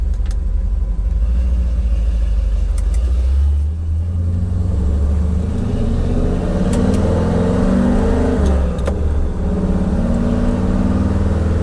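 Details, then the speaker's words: 1975 Ford F150 with budget-built FE 390, revving to the top of the range where valves have floated at 4200 rpm: revs hard, then stumbles and flutters unevenly near the top instead of pulling cleanly; valve float, not rev limiter. "when we get to the top of the RPM range, listen for the truck to break up, because that's what valve float sounds like."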